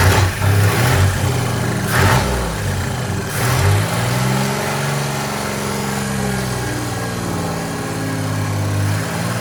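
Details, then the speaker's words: Chevy 4.3L V6 in a 1964 Willys Jeep CJ5 after setting timing to about 4° BTDC: steady deep idle with no misses or knocks after a couple of blips; a tab may rub the harmonic balancer; normal idle. "But I'll fire it up. You can see how much better it runs."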